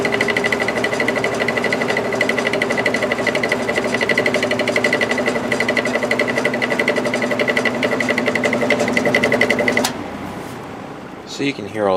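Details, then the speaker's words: Air King 9218 window fan on high: fast rattly buzz of about four ticks a second at steady speed until switch-off, heavy vibration; felt washers and bearing fine, caused by the motor's imperfect, out-of-balance rotor. "that racket coming from the motor it's it's not being caused by the washers or anything like that there's plenty of washers in there the felt washers are in good shape the bearing is in good shape it's just um that imperfect rotor"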